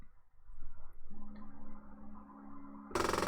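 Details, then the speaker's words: Stepper motor during sensorless homing with sensitivity disabled: steady hum turns into a loud harsh buzzing grind as the axis hits its end stop, meaning homing isn't working correctly. "pour que vous entendiez ce bruit de grincement qui signifie qu'il ne fonctionne pas correctement, donc la sensibilité est désactivée"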